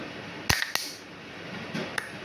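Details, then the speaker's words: 220 V diaphragm solenoid water valve for 1/2-inch pipe, normally closed: two sharp clicks close together then two fainter ones in a quiet room as power switches the magnet and diaphragm; normal, clean operation. "അതായത് ഇത് നമ്മൾ electricity connection കൊടുക്കുമ്പോൾ ഇതിൻ്റെ അകത്ത് ഒരു magnet രൂപം കൊള്ളുകയും ഇതിൻ്റെ diaphragm ഓണാകുകയും ചെയ്യും."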